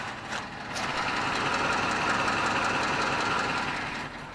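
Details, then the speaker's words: 2007 Chrysler 300C 5.7 Hemi, warmed up, idle and light rev: steady V8 idle with light regular tick about four per second; owner suspects exhaust leak or top-end noise, unconfirmed. "It maybe sounds like there might be an exhaust leak or maybe just a wee bit of noise in the top end."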